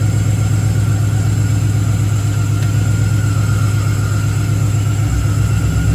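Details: Engine-swapped Camaro with a 6.0 V8 at its first start after the swap, with the tune still being sorted: a lumpy, uneven low rumble with a stumbling beat around four per second, popping and banging.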